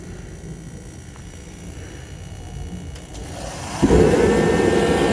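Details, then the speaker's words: Kerosene heater (dual-fuel version) bought at auction, repaired and reassembled with the lid back on: quiet, then the burner lights with a whoosh and settles into a steady, even roar with no sputter; normal running. "So there it is all put back together. That was successful. and we should be ready for winter."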